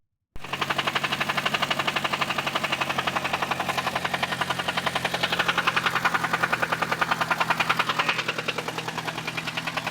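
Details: 1998 Eclipse GST 4G63T engine at idle with a heavy, steady knock about three to four times a second; teardown found thrust washers in the oil pan and a spun bearing, crank and block scrapped: rod knock from crank walk.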